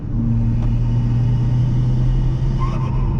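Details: Chevy Cruze with a big turbo, after fitting a blow-off valve in place of the factory diverter, holding a constant speed: a steady, even low rumble with no whistle or screech; it cruises like a normal, healthy turbo car.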